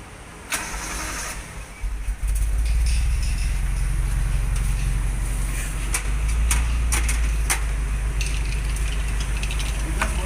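Starter cranks briefly, engine catches and settles into an even, deep, steady idle with no knocks or rattles; healthy quiet running.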